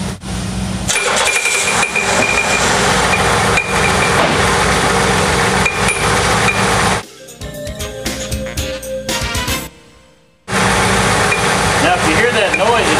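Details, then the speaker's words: GM 3.8L V6 running with irregular metallic clunking, like metal banging inside the engine; the clunk eases when revved and the load comes off, then returns as revs drop and is heard at shutdown. "like something's clunking inside the engine and it can kind of sound bad"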